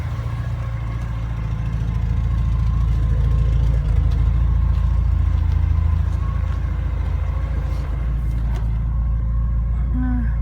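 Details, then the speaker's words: Porsche 944 restarted after sitting about three months: idle wavers and hunts in slow rise and fall, jumping, with a faint steady new whine from the engine; rough idle with whine, cause not found. "To the motor. Hear it? Something's whining in there that didn't whine before."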